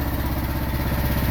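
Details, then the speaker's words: Miva Chinese mini excavator diesel started after sitting 3–4 days in cold wet weather, running just above idle: steady even low chug, no knocks or misses; engine healthy. "that idle right there is how this whole thing will work the whole thing will run now it's been it's been pretty cold look this is how you spin it"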